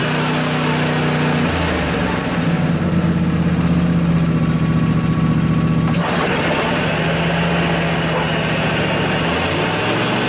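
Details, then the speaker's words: John Deere LA145 riding mower, 48-inch deck, blades engaged after replacing noisy deck bearings: steady even drone, no grinding or rumble from spindles, listened to at lower rpm; much quieter, normal deck operation. "well I think that was a quite a bit quieter it's now I don't really hear any abnormal noises so I think we're good folks"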